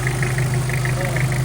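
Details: Mitsubishi Pajero Field Master diesel after new double timing chain set, guides and gears, valve guides, seals and oversize piston rings, intercooler not yet fitted: even, steady idle with smooth low beat, no rattle or knock, oil leak gone; normal idle.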